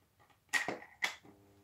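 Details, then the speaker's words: Cleaned 65 W single-tube fluorescent fitting, tested without earth connected: two sharp starter clicks about half a second apart, then a clearly audible steady mains ballast hum as the tube lights; owner notes the ballast vibrates loudly in some positions. "Et voilà. Donc on entend vraiment bien le bruit du ballast."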